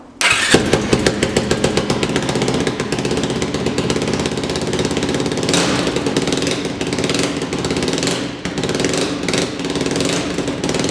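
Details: Yamaha YFZ 450 quad, single cylinder, after carburetor work: fires right up and runs with a crisp, raspy, loud exhaust note; a big hole in the exhaust pipe leaks, but the engine runs smoothly.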